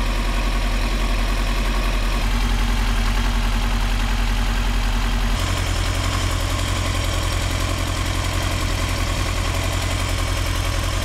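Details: 2003 Yamaha R6, 35,000 miles, Yoshimura exhaust and BMC filter, lumpy twin-like idle with a random rev jump, worst at 2–3k rpm, fine while riding; misfire from failing ignition coils, fixed by replacing coils.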